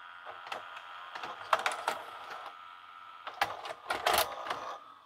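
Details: LG FC930W VHS VCR, stored in a shed for years, after the cassette-won't-load fault was repaired: a quick run of light plastic clicks and a short motor whirr as the cassette ejects cleanly, so the mechanism now works properly.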